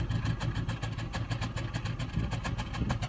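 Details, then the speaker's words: 2005 Cadillac DeVille idling shortly after a morning start, heard at the exhaust: shaking, uneven idle with irregular puffs and skips, roughly three to four a second; engine misfire, cause not yet known. "it is shaken like crazy and it is not firing correctly here look what my hands are walking on that's not a normal Idol it is misfiring badly"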